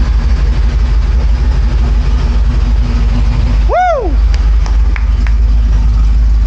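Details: 2004 Mercury Marauder, forged supercharged 03-04 SVT Cobra swap, at first start on open headers: loud, lumpy, steady idle with an even firing beat and no knocks or ticks. Oil pressure is good; there is a small oil leak.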